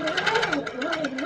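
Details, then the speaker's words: Handi Quilter Capri sit-down longarm quilting machine stitching: an even chatter of about six bursts a second over a wavering whir, then the tone changes as the top thread leaves the tension discs and bird's-nests. "I can actually hear it change the sound and as soon as it changed that sound I knew I was"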